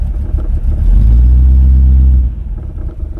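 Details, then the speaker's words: Rover V8 3.9 L, first start after distributor replacement with static timing only and the vacuum hose disconnected: catches, revs briefly, then settles to a lumpy, uneven idle, running but slightly rough before strobe timing adjustment. "well that sounds pretty good to me all ready but it's not perfect"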